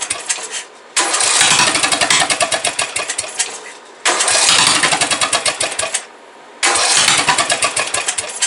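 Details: Briggs & Stratton 17.5 OHV single-cylinder mower engine after valve adjustment, compression release working, spark present: three bursts of quick, uneven chuffing, each dying after two or three seconds; owner suspects carburetor fuel starvation.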